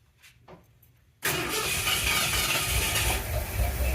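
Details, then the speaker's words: 1977 Ford F-100 351M V8 after replacing the bad 2-barrel carburetor, mixture screws 1.5 turns out, after sitting over a year: quiet clicks, then starts at once and settles into a steady even idle; fuel apparently leaking at accelerator pump. "all right well good news is we got it running sounds like it's idling okay"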